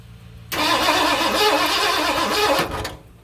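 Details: 1978 Ford F-250 flatbed 460 V8, sat about 15 years, HEI distributor just installed: steady fast cranking for about two seconds, never catches; spark confirmed at number one plug but no fuel reaching engine; crank no start.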